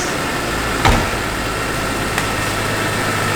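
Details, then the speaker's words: Barn-find BMW E46 M3 on its first run after a new fuel pump: a smooth, even idle with one brief clack, possibly a belt. The engine otherwise sounds healthy; normal idle. "and it sounds healthy sounds very healthy yeah yeah that is fantastic"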